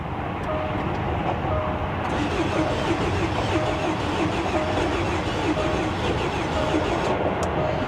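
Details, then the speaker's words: Bentley Flying Spur salvage, diesel-looking dirty oil, 107,000 miles, on jump start: steady churning crank for eight seconds, never fires; compression issue suspected, not confirmed. "yeah so it sounds like it's trying to start sounds like a compression issue to be honest so we're not off to a good start but at least it's trying"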